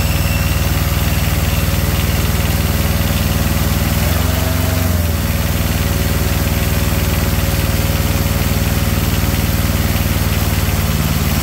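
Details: Comfort Pro truck auxiliary power unit small diesel with generator, removed from truck, started on glow plugs with throttle turned down: slow, even low chug at idle with one brief blip, settling back smoothly; runs fine.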